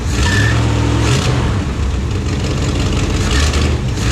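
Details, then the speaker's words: 1974 Plymouth Satellite V8 at idle after sitting parked, with a rough, rapid puffing chatter over the low rumble; exhaust leak, backfired through the carburetor once on startup, owner unsure it can be fixed, considering headers. "I can see, man, that exhaust leak's about annoying, ain't it? So we got that exhaust leak."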